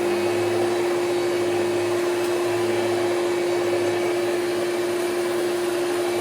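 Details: Hoover Celebrity QS vacuum on high speed after top motor bushing was lightly lubricated: constant mid-pitched whine over steady airflow, runs without faltering, still noisy; bushing suspected, needs dismantling; vacuum motor whine.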